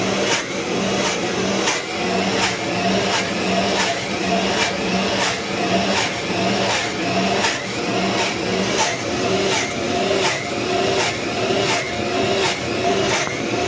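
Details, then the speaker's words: 80-year-old Cinderella washer with 1930s 110 V 2 A universal AC-DC motor, after draining oversudsed water and refilling fresh: steady hum with soft swish about 80 per minute, less high-end noise, running normally without suds lock. "A little bit less highend noise. [Music] This is the sound without any s block."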